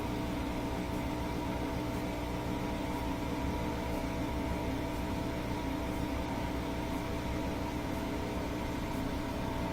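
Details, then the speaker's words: Bosch Axxis washing machine with manual spin set to 1,000 rpm: a smooth, even high-speed whir with a faint tick after balancing rotations. Spin works manually, so drain, motor, belt and motor control are fine; the timer portion is suspected of preventing spin during cycles. "And then pretty soon it should fire up and do the spin cycle. So it'll probably do a couple of rotations each way to balance the load, and then it'll pick up speed."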